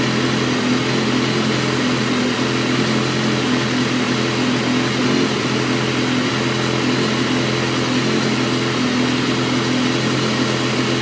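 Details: 2012 BMW S1000RR, stock: steady mid-pitched idle with a slightly lumpy, uneven beat and no clear knock; rough idle, cause not pinned down.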